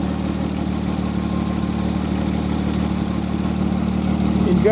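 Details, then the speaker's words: 1995 Nissan Maxima, fully warmed up: smooth even idle with light, fast injector tick riding on top, which is normal; engine running healthy. "fully warmed up sound you hear is the old"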